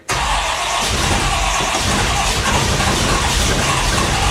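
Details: 1957 Chevy 350 V8 with two four-barrel carbs, just after a cold start: it catches into a loud, rough run with a steady mid-pitched whine from its noisy Pete Jackson gear drive; it runs extremely rich.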